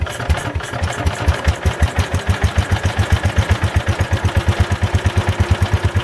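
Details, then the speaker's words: Ford Model 100 garden tractor with Kohler engine, after carbon was blown out and the carburetor adjusted: even low thumping at about seven or eight beats a second, steady with no misses; a healthy small single running well. "Well, this old Kohler runs pretty nice."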